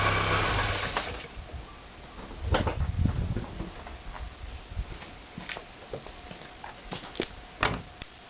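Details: Audi 80 after engine overhaul, cold, under load: uneven sharp knocks a few per second; same sound when accelerating or pulling away, quiet once warmed up; cause not pinned down.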